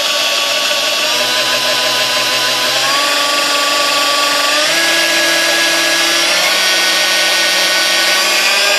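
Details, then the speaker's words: Sunbeam Mixmaster 1-7A 235 W mixer after cleaning, lubrication and a rebuilt resistor: a steady motor whine that steps up cleanly through every speed, smooth and healthy. "runs through all the gears fine and all that so all the speeds I shouldn't say it's not gears well because all speeds just fine"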